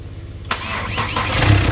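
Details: Chevrolet Captiva diesel first start after replacing the stuck water pump, snapped timing belt, roller and tensioner, with the air filter not yet fitted: the starter cranks briefly, then it catches and settles into a steady even idle, a normal start.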